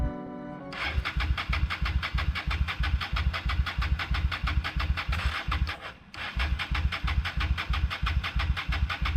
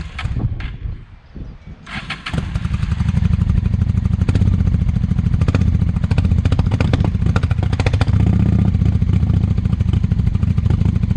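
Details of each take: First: 1998 Honda Shadow 750 ACE, sat outdoors over 5 years, cranking after cleaned carburetor refitted: starter spins in steady pulses, about three per second, with a pause, never fires; owner thinks it isn't getting fuel, unsure about gas in tank. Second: 1998 Honda Shadow 750 ACE, sat over five years outdoors, carburetor cleaned, ridden around the block the night before: a few brief cranks, then it fires straight into a loud, deep, steady V-twin idle with an even beat. Normal start and idle.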